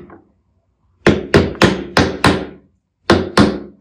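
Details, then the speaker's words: Washing machine that was loud on spin, drum bearing being driven in by hammer until the sound changes: seven sharp blows in two bursts ending in a solid thud showing the bearing is fully seated. "yine aynı şekilde ses değişene kadar çakıyorsun biraz daha çakacağız biz şimdi çıktığınızda şu Tok sesini"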